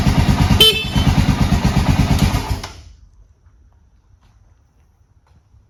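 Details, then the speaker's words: Honda XR650L bought as a non-starter, third morning test, dead cold with two clicks of choke and no throttle: fires quickly and settles into an even, steady single-cylinder thump at idle, then shuts off cleanly; normal cold start. "y'all saw how fast it fired up dead cold"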